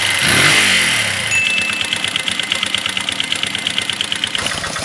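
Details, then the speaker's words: Flood-damaged Minerva MX 150 before teardown, rusted cylinder liner at ring positions, previous shop suspected of not honing it: rough idle with rapid uneven metallic tek-tek tapping, clicks and whine, like piston slap. "jadi seperti tadi ya suara mesinnya terdengar teman-teman ada suara tek tek tek tek tek ada suara cekrek ada suara seperti sing sing sing nya"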